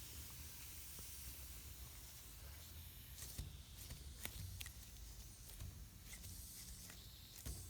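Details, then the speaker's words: ATE T50-26 brake booster, rebuilt elsewhere, on a test machine: a steady airy hiss over a low pump rumble as the booster fails to hold enough vacuum; vacuum leak, hydraulic side appears OK. "right away were you doing it we're not pulling enough vacuum can you hear that vacuum leak"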